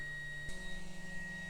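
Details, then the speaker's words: NB2 Mazda Miata with GTR2 LED headlight bulbs fitted in both headlights: quiet steady hum with faint high whine of the bulbs' cooling fans, not loud; owner thinks they may speed up as they get hotter, sounding like ramping up; normal running. "You can definitely hear the fans. It's not that loud, but it might be active in the sense that the hotter it gets, the faster it spins. That's what it sounds like. So it's ramping up now."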